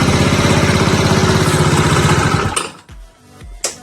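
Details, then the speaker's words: Znen GY6 scooter after a carburetor swap: a steady buzzing idle stops abruptly and dull clunks follow as the engine winds down. Something always knocks at shutdown; cause unknown. "Kuuluuko tämän täällä olla tämmönen? Joku täällä aina kolahtaa, kun tää sammuttaa."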